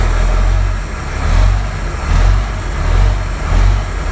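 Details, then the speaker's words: 1993 Ford Louisville L8000 diesel truck, first run after sitting about 11–13 years, oil pressure reading 80: deep rumble rising and falling with several throttle blips, responding cleanly without knocks or rattles; normal revving. "If I move the throttle. Yeah? Yup. Oh, this thing's great. Oh, it runs. It actually runs good."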